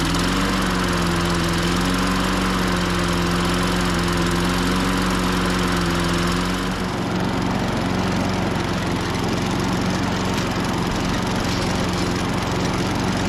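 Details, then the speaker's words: 1998 Ariens 21-inch self-propelled mower, VLV60 engine: runs steady, then the note sags and it stumbles and stalls; faltering, compression 115-120, owner suspects spark cutout from the new coil. "that's not me shutting it off it just di sound like spark cutout this thing just won't quit giving"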